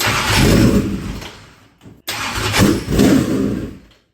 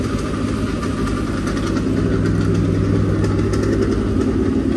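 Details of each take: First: Dirt track race engine, fuel lines empty and being primed with air pumped through: two bursts of uneven starter cranking with no catch; cranks but will not start, fuel starvation. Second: Dirt-track race engine, fresh and breaking in at a fast idle (planned 2000–2500 rpm run-in); steady loud lumpy rumble, even with no knocks or ticks, no leaks; normal running.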